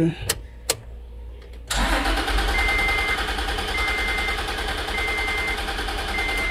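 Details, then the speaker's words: Toyota Land Cruiser pickup, B6 engine, crank-no-start: steady, even cranking keeps going but the engine never fires; fuel pump suspected of not delivering fuel, to be confirmed by priming with fuel. "Bale ang issue nito ano cranking lang siya So cranking ayaw tumuloy puro cranking lang siya"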